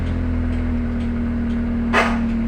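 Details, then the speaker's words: Honda Accord Cielo automatic at idle: a single sharp crack when D is selected, and the car doesn't move. The speedometer reads 15 km/h while stationary and the D indicator doesn't light. Suspected internal transmission fault, not confirmed. "terdengar suara krek seperti itu ya untuk posisi masuk ke gigi D"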